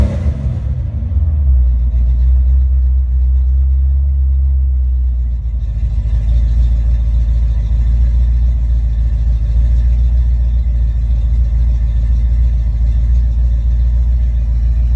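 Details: Ford Mustang V8 testing a rebuilt A9L mass-air ECU: deep steady rumble settling, then held at raised rpm with no stumbles, misses or breakups; runs clean.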